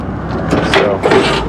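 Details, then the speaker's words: Truck lift gate switched on from the cab and the platform raised, then lowered by gravity during basic no-work checks: a smooth hydraulic whoosh with a soft mechanical rumble as it descends evenly, working properly. "On, up, and this one's gravity down, so you can hear it actually gravity down."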